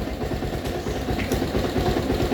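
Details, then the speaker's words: Rouser 220 motorcycle, previously not starting, now idling after grounding the starter, no parts replaced; non-stock 28 carb fitted; quick, even putter at idle, steady beats, no misses, normal idle. "So yung dating Hindi umaandar mga bro ngayon ay umaandar na wala tayong pinapalitan dito Basic lang di ba nakadali lang"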